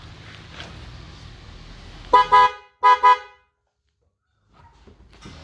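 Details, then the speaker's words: Toyota Yaris with a dead original horn replaced by new 12 V Denso horns wired without a relay; two strong, clear honks, each with a brief stutter, both tones loud and steady; normal horn operation. "Bunyi, Guys. Hidup dan suaranya gagah. Lebih gagah dari yang tadi ya kan?"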